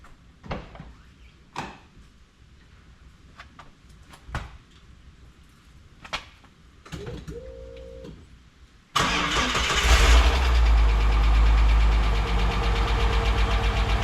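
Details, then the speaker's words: Ford EF Fairmont after replacing the centre-section exhaust mufflers: a few clicks and bumps, then a smooth, steady low idle with no rattle; exhaust quiet and healthy, rattle fixed. "Lovely. Pretty happy."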